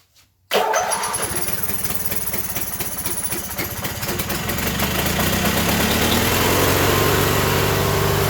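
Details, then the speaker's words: Coleman Powermate 7000 generator, 18 HP twin L-head, 3600 rpm, non-runner with fuel filter fitted and carb hooked back up, on choke, primed with gas down carb: catches after brief crank, settles into steady, even beat strengthening; running. "All right, I don't think we're primed up yet, but it's good to hear it running."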